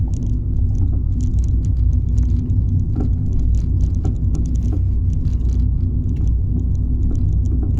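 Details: Fiat 500 driving on normal and bumpy roads and over humps, heard inside: heavy road rumble with irregular sharp knocks or clunks from under the car, happening every drive; cause unknown.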